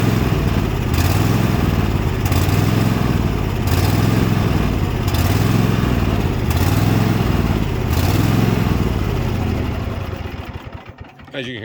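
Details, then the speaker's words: Cub Cadet small engine with rough idle hunts on its own, revs rising and sagging about every 1.5 seconds without throttle input; owner suspects dirt in the carburetor despite a new filter: surging idle. "revs up and down revs up and down revs up that is just play simply something in the carburetor"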